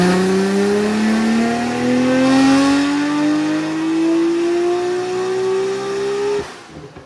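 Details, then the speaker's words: Nissan R34 GT-R on a dyno after tuning: a clean rising howl climbs smoothly for six seconds, then lifts off sharply; a healthy full-power pull. Output rose from 563 to about 652, with compensation tables and a new sensor added. "This is super cool. So, the car came in making 563, left making 5 651 652. Uh, it's happy. It's healthy."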